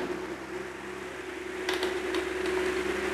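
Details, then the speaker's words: Pedestal fan that hummed and ran slow from a weak capacitor, after fitting a new capacitor, at highest speed: steady airy whoosh with faint even motor tone, running smoothly and fast; normal fan running at high speed. "ഇതിൻ്റെ highest speed നോക്കിക്കഴിഞ്ഞാൽ നല്ല സ്മൂത്തായിട്ട് നല്ല speed കറങ്ങുന്നുണ്ട്."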